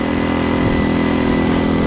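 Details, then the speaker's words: Hawk 250cc motorcycle after wiring harness replacement, choke off: uneven, lumpy beat with wavering pitch; half choke bogs with too much fuel, choke not right. Rough running with choke off. "Well, that was choke off. This is half choke here. So yeah, we definitely got to get into something, man. That choke is not right."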